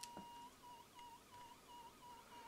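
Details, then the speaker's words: Corsair Graphite 760T case fan run from a USB adapter through a voltage reduction cable at roughly 3 V: thin, steady high-pitched whine wavering over a faint hum, coil whine from underpowered fan motor. "As I said, this is set up at a very low voltage, so you're probably talking like 3 volts or something, as USB natively supports only like 5 volts."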